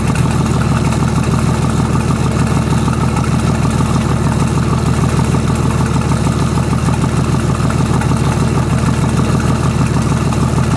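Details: BMW/VM D190 marine diesel at first start after a rebuild following a broken valve, with a VM 2.4 liner, piston and head, idles unevenly with a lumpy, hunting beat about three pulses a second; air drawn in past leaking injection pump front shaft seal.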